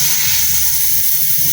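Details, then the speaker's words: One-door Polytron fridge that isn't cooling: with the compressor off, the capillary tube used for vacuuming is cut and refrigerant hisses out, smelling of freon. The system is clogged, which is why the fridge doesn't cool. "Oke, saat kondisi mesin mati, kita potong di pipa kapiler yang buat pemvakuman ini. Keluar keluar freon ya. Ini berbau freon."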